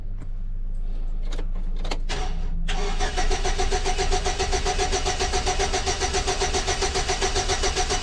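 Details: 2006 Chevy Silverado with a distributor already replaced, crank no start: brief clicks, then steady rhythmic cranking at about two beats a second that never catches, with no spark. Timing signal shows a 5-volt square wave; ignition module suspected.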